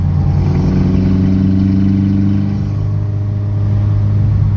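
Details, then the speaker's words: VW Mk2 track car, new high-compression 2.0 16v race engine with ITBs, on dyno under light load. Deep, even drone without metallic pinging; timing pulled and sound remained, so harmonic engine noise, not detonation. "Okay, so Jody and I just went out to hear the sound, and it's not pinging. So he pulled timing, still made the sound. So it's just harmonic sound that the engine makes."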